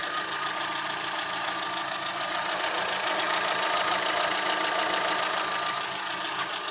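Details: Fiat Punto rough idle despite new plugs, air filter, leads, Redex and a new mid exhaust section. It drives fine, but the idle shakes the engine at random intervals. A steady fast pulse of about three beats a second with a lumpy shake.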